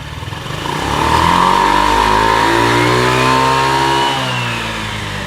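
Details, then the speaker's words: Honda Ruckus built from spare parts with Dr. Pulley 5 g sliders, NCY variator and dry face, stock clutch, Gates belt; revs up smoothly, holds high, drops back, clean even note, no slipping or rattle; normal revving. "So let's go ahead and rev it up, and let's see that belt slide up and down our variator."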